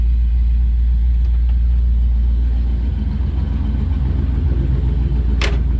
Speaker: So, should be good now. And there, it's running again.